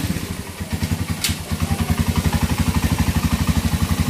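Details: Engine still noisy two days after overhaul: loud, rough clattering pulses at about four a second over the idle; which part needs replacing is unclear.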